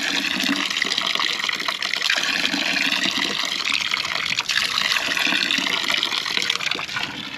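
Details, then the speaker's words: Dempster pump that keeps losing prime: continuous hissing, gurgling rush with no solid pumping beat as it draws air; it takes about a minute and a half to stop pumping. "So, see, we're we're stuck in air right now. Yeah. So, it take about a minute and a half for it to to stop. Still doing the same thing."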